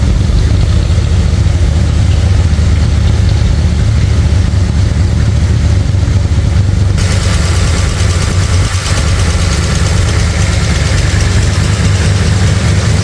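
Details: Brand-new 445 stroker FE V8 in a 1962 Ford Galaxie during cam break-in, run at about 2000 then 1500 rpm. Steady, elevated revs with a light, rapid clatter: noisy lifters needing adjustment. Timing also needs adjusting; oil pressure and water temperature are good.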